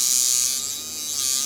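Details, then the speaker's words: Cheap kit coil tattoo machine set up as liner at about 40–45% power after new rear spring (425 g tension), raised armature bar and reset: steady high even buzz holding pitch; running properly, no longer dropping out. "that okay it's not falling anymore it's running properly and all we've done is raise armature bar and chain gonna get here small stuff"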